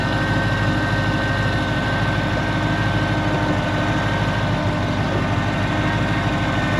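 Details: 2012 Ford Mustang GT 5.0 with "Check Charging System" warning: steady idle with a faint constant whine, no knocking; belt, idle pulley and tensioner ruled out, failing alternator suspected.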